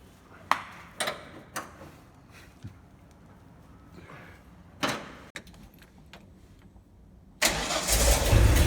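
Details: Ford F-series highboy truck with a freshly fitted V8 and gearbox, replacing the old engine that threw rings and leaked oil: quick start to check an earlier noise is gone; a few clicks, then it fires and settles into a strong, even run.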